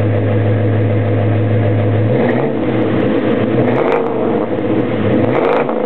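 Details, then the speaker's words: 1972 Chevrolet Chevelle SS 402 V8, top end rebuilt six months ago (heads, valves), dual exhaust: deep even burble at idle with clean rises and falls on throttle blips; normal healthy idle and revving. "fires right up great tone from the dual exhaust chevelle sounds how you expect your muscle car to sound much you're running"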